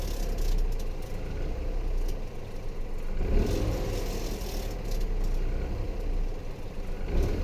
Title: bruit moteur décélération Dacia Eco G 100